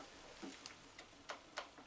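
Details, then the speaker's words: Atlas 7B shaper, restored cross feed mechanism: crisp, even clicks about three a second as the pawl ratchets on each forward stroke and advances on the backstroke; feed working normally in both directions. "ratcheting on the forward stroke so that's correct that seems to be working in both directions"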